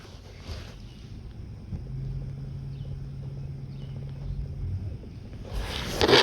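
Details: Scion xD that has power but won't crank, fuel issue suspected: a steady low electric hum runs about three seconds and stops as the fuel pump primes normally, ruling out the pump; the computer is suspected instead.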